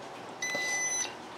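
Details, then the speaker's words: Portable induction cooktop countertop burner just plugged in: a single clear high beep of about half a second with nothing behind it. The normal power-on signal. "if we just plug it in i'll show you guys what it looks like here so we're plugged in basically it's turning on"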